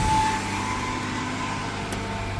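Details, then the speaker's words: 1998 Ford Explorer, about 199,312 miles, sat five years, just fresh oil after sludge, old spark plugs: after idling funky, the engine revs up on its own to 2,000 rpm and holds a steady raised hum; high idle from a sticking idle air control valve. "Where's she going? She's at 2,000 RPMs all on her own."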